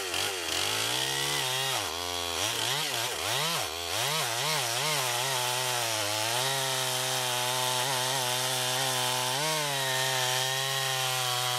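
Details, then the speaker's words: Rebuilt Stihl 026 chainsaw (new Walbro carb kit) with sharpened chain and set rakers: revs swoop up and down, then hold a clean steady pitch through the wood cut; pulling well under load. "so we might go ahead and throw a bar on here and uh see if we can get it in some wood and try that out"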